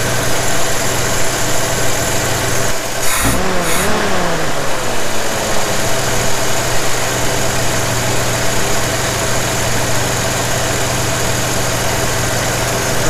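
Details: 1981 Jeep CJ7 with rebuilt Weber 32/36 carburetor, idle mixture adjusted in quarter turns with the gauge reading around 20–21: steady even idle, smooth low rumble, brief rev blip settling back cleanly, no misses; normal idle.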